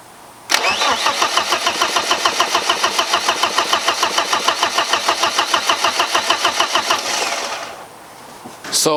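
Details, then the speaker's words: 1995 BMW E36 318ti turbo build, first-start attempt: starter turns about three revolutions a second for seven seconds with no firing. Owner suspected the disconnected oil pressure sensor, but the fuel pump just needed time to prime fuel to the rails. "i thought it was something to do with the oil pressure sensor but it wasn't it just needed time to prime fuel pump just needed time to push that fuel all the way up to the rails"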